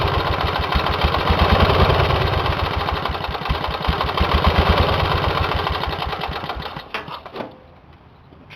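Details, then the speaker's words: Engine run with one cylinder head removed, after a damage check following oil in that cylinder: slow, loud, harsh chuffing about four beats a second from the one firing cylinder, then coasting to a stop. No damage found. "I'm getting ready to fire this engine up on one cylinder with the head off this side and everything seems to be operating pretty good so here you go guys"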